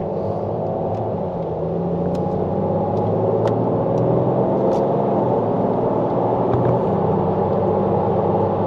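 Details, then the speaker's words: BMW 330d GT during a pre-purchase test drive: a loud, steady tire tread roar fills the cabin while driving; the car also pulls to the right. "vous voyez bien ce que je vous disais vous entendez bien le bruit de la bande de roulement le bruit ça vient des pneus"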